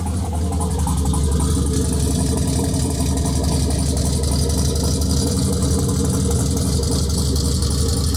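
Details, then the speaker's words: Turbo LS Chevelle on Holley Terminator X, second start, fuel pressure cut to 60 psi: fast, steady, lumpy idle sitting above target with the IAC at 0%; owner suspects the throttle blade is open too far and closes the stop screw. "also i noticed that the iac the idle air control was at zero percent and the idle was still above the target so what that means is i think the throttle blade was open too much"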